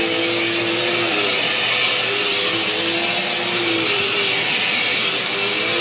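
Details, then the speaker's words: Eureka Power Plus upright vacuum after freeing a hair-seized brush roll bearing and clearing a clogged hose: smooth, steady high-pitched whine at one even pitch, no grinding or labouring; sounds healthy. "so it was a simple fix and the hose was clogged up and I fixed that too so we're going to run the back run it so you guys can hear it"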